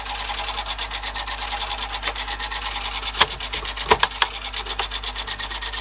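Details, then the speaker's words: Panasonic NV-HD650 VHS recorder after a service that included mode switch cleaning, playing a tape. A continuous dry rasping rub pulses about twice a second with sharp clicks from the tape transport; mechanism noise, cause not evident. "but that's a bit better you making that noise though"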